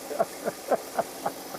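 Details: Engine started after disturbing the main lead at the starter that feeds the coil packs: soft even pulses about four a second, no misses or stumbles; steady healthy idle.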